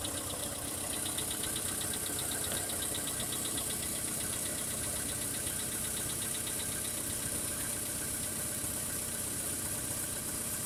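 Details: VW Polo Sedan cold idle: light, fairly regular ticking knock about four per second over the engine; cold-start knock, cause not identified.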